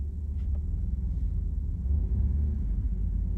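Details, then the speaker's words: 1994 Dodge Dakota V6 automatic with transmission problems, in drive at 2,000 rpm: steady low engine drone but truck barely creeps at about 2 mph; reverse partly works, whistle heard in neutral; sounds like transmission slipping. "it's it's inching forward right now the RPMs are at 2,000 RPMs I'm not going I'm I'm barely going like 2 miles hour"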